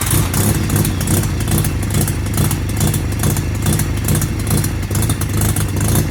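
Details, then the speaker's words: Mazda FD RX-7 with a hole in the exhaust where a previous owner had loosely stuffed an O2 sensor: rough, loud revving with a harsh raspy pulsing bark and clatter. Exhaust leak. "but we have got a massive hole, like literal hole. Like it's a straight up hole."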